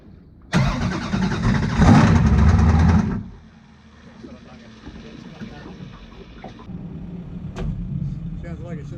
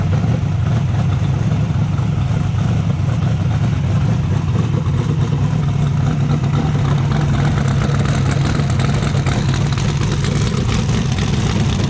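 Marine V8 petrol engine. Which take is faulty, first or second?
first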